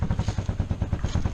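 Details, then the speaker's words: Kawasaki EX250 Ninja twin just after carburetor cleaning, first start on choke as fuel fills the bowls: lumpy, stumbling idle, one cylinder dying and catching; suspected dry float needles sticking or flooding until fuel level settles. "up one of them's dying one of them's coming in time so it's typical that they will flutter until they get a good level fuel supply"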